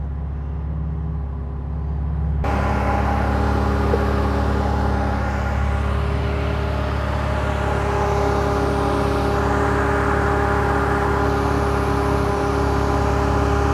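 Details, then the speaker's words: 2012 Camaro after radiator repair, radiator fans loosely refitted (cracked fan mounts) and tested with AC on at idle: even whirring hum joins the idle and holds steady; normal cooling fan operation. "See, the fans should be running right now, but I don't know if they are or not. Yeah, I hear them running."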